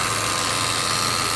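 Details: 2012 Subaru Impreza at idle: steady electrical buzz with a thin high hum from the engine bay whenever the blower is set to windshield/defrost, at any fan speed, AC or heat; cause unknown.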